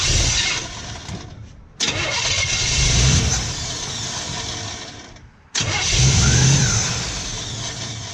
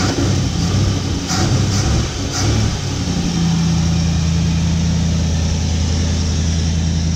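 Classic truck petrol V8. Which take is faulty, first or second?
first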